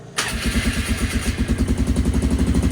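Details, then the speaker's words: Flood-damaged 2001 Polaris Sportsman 500 HO, low hours, starting after bleed procedure: fires straight up into a quick even single-cylinder thump, loudish exhaust, smooth healthy idle. "But there we go. Muffler's a little loud on this thing."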